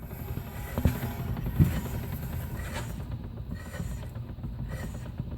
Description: 2001 E46 325i manual. This slight clunking/rattling is, according to the authorized BMW dealer, perfectly normal.